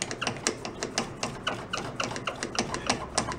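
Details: Rear brake drum of a rat rod quad, wheel spun by hand: quick irregular ticking and scraping clicks, a mechanical noise inside the wheel; owner suspects missing brake shoes, cause not confirmed. Rear-only brakes struggled to stop it when loaded.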